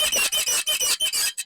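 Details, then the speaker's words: Honda CD70 rear end bouncing: sharp, high squeaks about four or five times a second; an oversized washer rubbing the swing arm and silencer bracket, fixed without removing the shock. "तो इंशाल्लाह ये आवाज हम आपको बगैर जमप खोले इशाला ला आवाज खत्म करने का तरीका बता रहे हैं"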